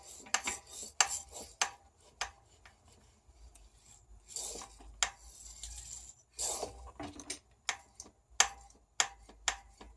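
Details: RockShox Sektor Silver TK Solo Air 140 mm fork pumped by hand: sharp, irregular clicks over rubbing as the spring-side inner tube, loose by about 1 mm (maybe a worn seal), strikes the top cap; it was solved.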